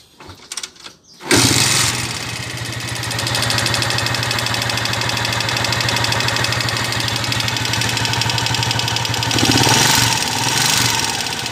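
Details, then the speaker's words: Honda TMX 155 with a sidecar, brought for an overhaul because it is noisy, just started: a fast, loose clatter at about four knocks a second rides on the idle, a mix of engine noises. "Ayun, ganun kaingay mga kabro. So halo-halo na yung ingay ng makina niya."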